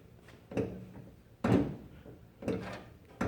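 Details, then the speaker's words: Old Mopar, driver's-side lower door hinge: four heavy clunks with a creaky groan, about one a second as the door swings. Worn hinge pin knocking; the hinge is bad. "all that noise that caused by the hinge pin so guess what let the hinge is bad"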